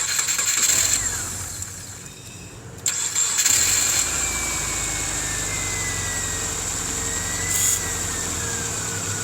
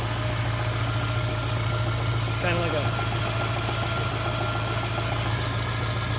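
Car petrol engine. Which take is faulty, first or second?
second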